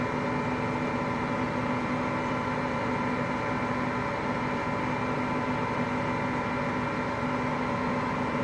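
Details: Hotpoint Aqualtis washing machine drum bearings just started failing today: steady, unbroken low roar with a hum through the whole spin, typical of failing drum bearings.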